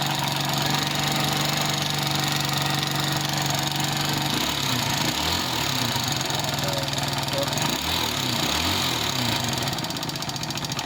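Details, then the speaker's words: Rusi Gala GY6 scooter engine after oil refill and tune-up: light, quick tick over idle keeping time with engine speed, reduced from earlier clatter; worn camshaft and rocker arm damaged by running dry of oil. "yung lagatik na yan galing po doon sa rocker arm at saka doon sa kanyang camshaft, kasi nakita nyo naman may tama na siya, di ba? Pero yung ingay nabawas-bawasan na siya."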